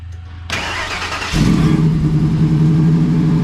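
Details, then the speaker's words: SVT Lightning truck, engine cold, not revved, needs a tune: cranks, catches and settles into a lumpy, uneven low idle with wavering beat; rough only on cold start, not under load; owner wonders if it's the tune, cause unconfirmed. "it only does it during cold start it does not do it when you get on it nothing like that it's just cold start"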